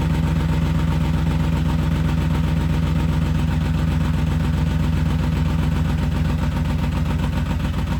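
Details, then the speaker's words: BMW E34 530 whose clutch started going out and began sounding horrendous while driving: heavy low droning idle with a fast, uneven churning beneath; something underneath unhappy, owner suspects the differential died. "Yeah, something's not happy down there. See, look. I'm starting to wonder if my diff died."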